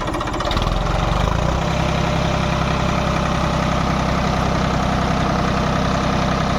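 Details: Diesel engine after diesel pump repair and setting: brief start-up surge settling into an even, steady chug with no missing or uneven beats; sound right and taking load properly.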